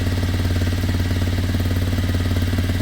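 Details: Kymco Zing 125 scooter after carb emptied and air filter moved closer to the intake: steady idle with an uneven low pulsing beat, about three a second, not settling; restriction versus carb jetting suspected, unconfirmed.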